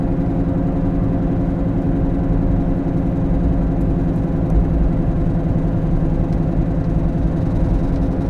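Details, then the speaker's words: While driving, continuous low growl under road noise that rises steadily with speed, traced to the rear (left rear) wheel bearing; grinding, growling sound of a failing wheel bearing; rear wheel bearing growl. "a wheel bearings typically sound grindy growly when a bearing starts to go bad it makes noise and typically that noise is described as grinding growling whining"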